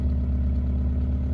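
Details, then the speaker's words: 1971 Fiat 124 Sport Spider idling around 1,000 rpm, not yet at operating temperature: loud, raspy idle with chuffing exhaust note from a holed exhaust manifold gasket. "Yeah, as you can hear, it sounds pretty loud because of that exhaust manifold gasket, but yeah, so that's pretty much it."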